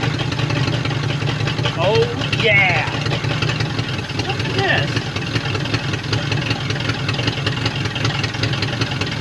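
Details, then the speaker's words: 1950 Ford Flathead V8 revived after 50 years stuck, after carb rebuild and distributor flipped 180°, run without coolant; idles with uneven, stumbling beat and skip, like missing one cylinder; misfire. "Like it's missing one cylinder."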